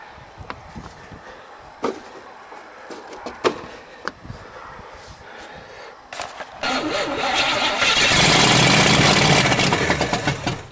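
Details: 1978 Monte Carlo 305 V8 in a 1963 Allis-Chalmers loader, parked 5.5 years, third start attempt: scattered clicks and knocks, then it catches and roars into a loud, steady run; not seized as feared.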